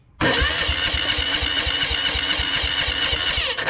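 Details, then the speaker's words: Old military Yanmar diesel portable air compressor cranking after tar was cleared from its fuel lines: fast, even starter chugging at about eight beats a second, never firing. No fuel is coming from the injection pump; the fuel system is plagued with tar. "okay we're not even get anything out of the injection pump now let's peel this hose back see if we're getting any fuel"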